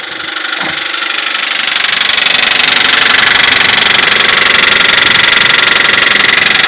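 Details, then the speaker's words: 2004 Nissan Pathfinder showing 14,000 on the odometer, hood open: sharp, regular knocking about four times a second over a rough idle; bad internal engine knock, source still uncertain. "We got this really bad knocking noise in the engine."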